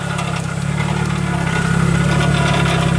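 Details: 2008 Nissan Versa idling after seized A/C compressor clutch repair, A/C fan switched on; uneven, gravelly rumble with some shake underneath, runs rough; cause suspected, not confirmed; rough idle.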